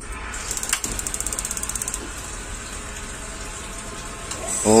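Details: Gas water heater whose flame lights only briefly: quick even igniter clicks, about eight a second for a second and a half, then stop with no steady burner roar; ignition not holding, flame sensor or micro switch being checked.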